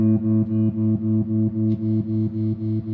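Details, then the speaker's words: Restored 1974 Fender Super Six Reverb amp: a held guitar note throbs steadily and evenly at maximum intensity and the slowest speed. The tremolo is far too fast to be usable, and even the slowest speed is still too quick. "let me turn up the intensity all the way so you can really hear it that's like super fast and not really usable for anything"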